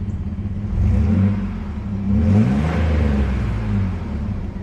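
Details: V6 Chevy S10 after welding in a new 18-inch 409 stainless Total Flow muffler: deep burble swells under throttle blips and settles evenly, no rattles or drone; normal exhaust note.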